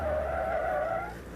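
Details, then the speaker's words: Car at the limit in a racing school demonstration, with wavering high-pitched tire squeal as the rear tires unload and slide in lift-off oversteer after lifting off the gas. "We're right on the edge, you can hear the tires squealing."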